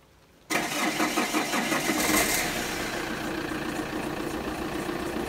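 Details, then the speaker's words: Saab 9-3 SC TiD diesel, suspected dual-mass flywheel fault, weeks-long problem since purchase: engine catches and settles into idle with loose uneven metallic rattle over diesel clatter; rattle at idle, cause unconfirmed. "I'm not sure about what you guys can hear but for me it doesn't sound healthy and this problem has been bothering me for some weeks now"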